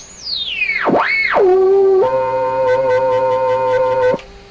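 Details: Hammarlund SP-600 communication receiver, signal generator fed into the antenna at about 11.5–11.6 MHz with BFO on: a whistle sweeps down then settles into a steady beat tone; signal received but very weak despite full generator output. Double-conversion higher bands suspected miswired.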